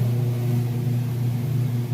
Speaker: Okay, and we're coming into that final spin cycle now. It's getting all the water drained out. You can hear that there.